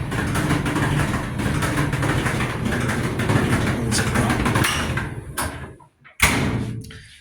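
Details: About 10-year-old Kenmore gas dryer running with a loud, steady low rumble like rocks inside; worn drum support rollers (wheels), to be replaced with a roller, belt and tensioner kit.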